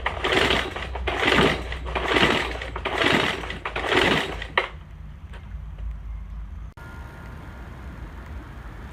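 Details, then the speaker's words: Troy-Bilt TB4HB EC four-stroke leaf blower, unused for four or five years: engine surges up and down in waves under a second apart, then fades and dies; fuel starvation, dirty carburetor to be cleaned. "all right so it'll run so I think the next thing I need to do is get this carburetor off and get that cleaned off"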